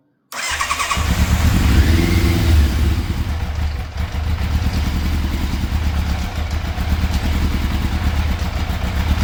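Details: Fire-damaged 1988 Yamaha FZ750 Genesis after carburetor rebuild, choke fully out: rough idle hunting between about 1000 and 2000 rpm, cutting out as the choke comes off. Still running badly, possibly on fewer cylinders; cause unconfirmed.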